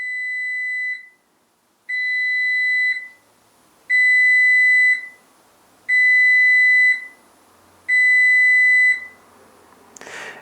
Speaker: because the machine has got no water in it, there will be 5 long bleeps, and that is an indication that you need to fill the water up in the tank.